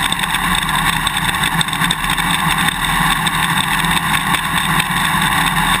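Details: GoPro Hero 2 on a motorcycle swing arm while riding: sharp, irregular clicks through engine and wind roar from the quick-release buckle rattling in the mounting bracket; fix with vibration plug, electrical tape or drinking straws between buckle and bracket.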